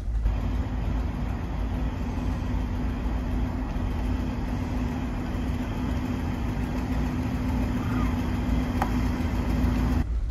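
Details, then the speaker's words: 1972 Barth motorhome that had stalled from running out of fuel (gas gauge always reads full), now driving in gear: steady, even low drone with no knocks, misses or surges; engine pulling smoothly. "there we go put it in drive and look at this windshield's a little dirty but she's moving"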